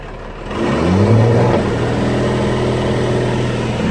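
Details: Cummins 12 valve diesel, rebuilt .040 over, balanced, timing ~16°, injection pump replaced ~20k ago: deep clatter revs up then drops to lumpy stumbling idle, misfire; worsens after driving or revving until it dies; fuel filter, lift pump, governor springs, overflow valve replaced.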